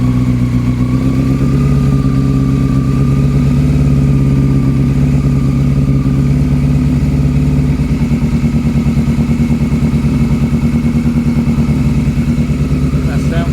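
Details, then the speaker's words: Honda CB400 Super Four, carbs bench-synced, running on the fuel left in the carbs with no fuel supply attached. It idles lumpily and stumbles through the revs. A cylinder still seems to be running cold; the owner suspects carb sync between cylinders 3 and 4, unconfirmed. "all right still seems to be running cold now so what still seems to be running cold now i'd bench sink them so i think i might just try and have a bit of a tinker between um three and four on a on a sink"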